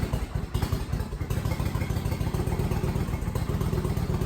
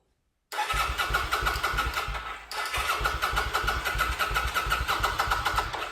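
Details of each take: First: Kawasaki VN900 Vulcan bobber just started after refitting tank and fuel pump, letting oil get round: steady, even low lumpy twin thumping at idle, no knocks or rattles; healthy. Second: Kawasaki VN900 Vulcan bobber build, first start after refitting tank and reconnecting fuel pump and return line: rapid steady starter churning about three beats a second, pause, more cranking; engine doesn't catch.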